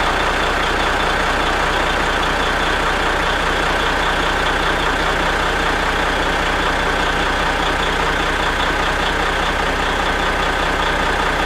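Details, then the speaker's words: 1983 Kenworth cabover diesel truck started after hooking up batteries (truck tends to lose prime when sitting, seemed not to overnight), steady even idle with deep rumble through 8-inch exhaust pipe, no stumbling or misses; doesn't smoke; normal idle. "so uh going to fire her up gives us a chance to hear that badass exhaust you know what I mean"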